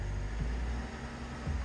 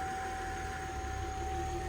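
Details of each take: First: Flood-damaged 2007 Cadillac CTS, about 50,000 miles, engine power reduced: idles with two brief small lifts that die at once, won't rev; cause found to be a disconnected throttle position sensor plug. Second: Flood-damaged 2007 Cadillac CTS V6, about 50,000 miles, first run, AC/power steering belt bypassed due to seized AC compressor: steady even low rumble, no knocks or misses; normal idle.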